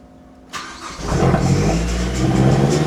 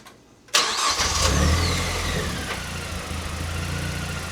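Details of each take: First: Mazdaspeed 3, not run for six years, old fuel in tank; quiet, then catches abruptly, ragged uneven rev before settling. Hard first start after storage, cause not confirmed. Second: Mazdaspeed 3 revived after 6 years abandoned, power steering reservoir refilled with ATF: engine catches immediately, flares, then settles to an even idle; earlier rattle near the power steering pump from the empty reservoir is gone.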